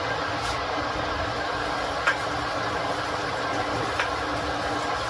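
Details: Ninja electric kettle on first use: steady rushing hiss with a faint low hum, no knocks or rattles, building as water heats; normal heating noise.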